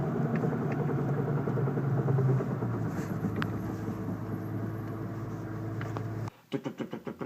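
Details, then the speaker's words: 1997 Jeep after a bang in second gear: hard metallic knock repeating with wheel rotation, seemingly from the rear right, louder on deceleration than acceleration; owner suspects a broken piece rotating and hitting metal in the rear differential, unconfirmed. "like it's like something's rotating it broke off it needs to be here when it broke off it's here know that when it rotates it hits it hits a piece of metal well it's hitting something anyway something hard metal steel hard something"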